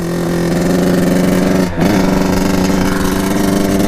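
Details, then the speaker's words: 1989 Kawasaki KX80 big bore 110 two-stroke on a test ride: steady buzzing drone that dips and stumbles under throttle instead of climbing cleanly; bogging, as if the choke were on. Owner suspects a carburetor problem, maybe the pilot jet. "I'm thinking it almost sounds like the choke is on when I'm riding it which is not good"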